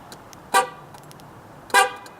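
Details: Ford F-150 just after a battery change, hood open, remote start attempted: two sharp horn blasts about a second apart over quiet street background. The truck's anti-theft alarm is sounding, suspected to be triggered by the open hood.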